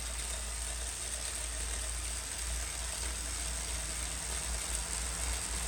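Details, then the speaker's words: New Wahoo Kickr18 smart trainer under slightly increased effort: quiet, even whir with high steady hiss and low drone, just light chain noise over the cassette; smooth and quiet, quieter than Kickr gen 3. "a little bit of chain noise over the cassette there and really nothing else so big ticket to the new ticker 18 on the noise front"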